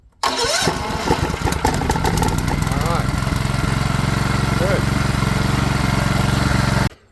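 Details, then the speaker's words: Small 6.5hp Chinese 4-stroke engine meant for alternator backup power, started warm with fuel tap on: catches almost at once, then a quick steady putter before shutdown; healthy start, earlier trouble probably junk in the fuel line. "so I think it starts very nicely now in fact if we turn our fuel tap on while it's warm we can just start it up like"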